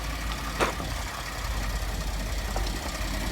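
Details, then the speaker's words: 2014 Ford F-150 3.5 L EcoBoost, warm idle after revving, heard from underneath where the crankcase meets the transmission: dull, irregular knock under the steady engine note, one sharper hit early; knocks only once warm, oil pressure good; cause not pinned down. "All right, let it idle. You can hear the knock."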